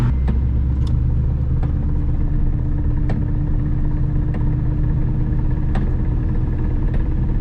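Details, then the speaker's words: Mustang Cobra after new tires and alignment: sharp irregular clicks about once a second over low road rumble, also heard in neutral with slight revs; owner suspects a damaged second gear. "It I can hear it in neutral even when I just revved just a little bit. It starts clicking, dude. Second gear is toasted."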